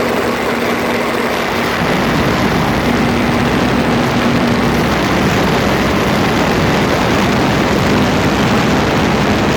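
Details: Land Rover Freelander 2 while driving, phone taped close to the front differential: loud constant rough grinding over a faint steady hum; grinding noise, cause not yet found.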